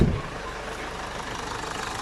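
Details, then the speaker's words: Car at idle with aircon compressor on, after tightening the previously loose accessory belt that squeaked with AC: smooth even idle, no squeal or chirp; belt drive now healthy. "So ngayon naka-turn on na yung aircon, no? Pero hindi ko na naririnig yung squeaking sound."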